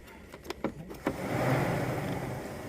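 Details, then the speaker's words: 2007 Toyota RAV4 with crank-no-start, stalling and many circuit codes: light clicks as the transmission-side harness connector is shaken, then the radiator fan whooshes on; intermittent fan triggering from a faulty connection at that connector. "it was this one that was acting up right here so when you shake it like this it was triggering the fan"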